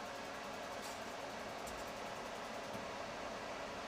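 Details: Steady airy rush with faint hum and light clicks after replacing the wall thermostat on a propane RV furnace; thermostat clicked on, blower running normally, unsure whether propane is on.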